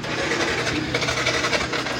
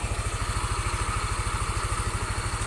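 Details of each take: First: Yamaha NMAX scooter that gets hard to start after exposure to water: harsh, uneven, gritty idle, the engine runs very rough. Cause suspected, not confirmed. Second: Yamaha NMAX scooter after repair of radiator coolant spraying and hard starting (new gasket, no glue): steady, even single-cylinder idle with no misses or knocks; starts and shuts off easily, coolant no longer sprays, road-tested about 6 km without problems.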